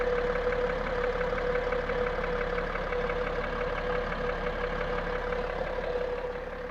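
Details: BMW X5 E70 3.0sd M57TU2 diesel at idle, heard at the right front wheel arch: sharp, regular tapping about three per second, louder than injector or valve noise, speeding up with rpm and fading at 2,000–3,000 rpm. Injectors bench-tested (three restored), corrections ideal; piston suggested; engine knock, cause unknown.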